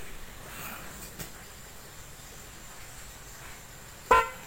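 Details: DIY-installed snail horn on a car or motorcycle, wired to the old horn pin with ground to the battery negative, first test: one loud clear honk and a brief second toot. The horn sounds full and works properly.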